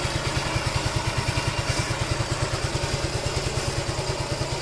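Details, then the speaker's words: Scooter engine idling after replacing the block and cam bearing: even, regular idle beat near two pulses a second with no knock or clatter, quiet with clean exhaust smoke; the engine runs fine after the repair. "Okey hidup macam biasa. Alhamdulillah senyap. Mantap. Kita just tukar bearing cam dan blok."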